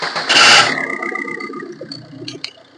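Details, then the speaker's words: Maruti Suzuki Ritz diesel, bonnet open, engine started: a short harsh creak over the cranking that fades as the engine catches; the creak also comes when accelerating while driving. Alternator one-way clutch pulley creak. "അപ്പൊ നമ്മളിപ്പോ കേട്ട ഒരു Crick Crick Crick എന്നുള്ള ആ ഒരു sound നമ്മളിപ്പോ കേട്ട് കാണും വണ്ടി സ്റ്റാർട്ട് ചെയ്യുന്ന സമയത്ത് ആ ഒരു സൗണ്ട് കേൾക്കാം"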